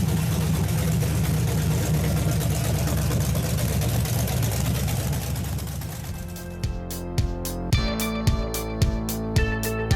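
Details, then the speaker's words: 1962 Chevy pickup with a 350 small-block V8, first start after install with a new motor mount. A deep, even V8 rumble holds steady at idle for several seconds before music takes over. Normal idle. "man hearing his motive for the first time this sounds so sweet to my ears you guys just do not know"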